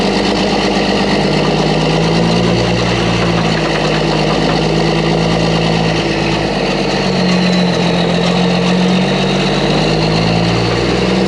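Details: Mack truck diesel after engine reassembly with new parts, around the road test: deep, steady drone with an even beat and no knocks or misses; running healthy, normal running.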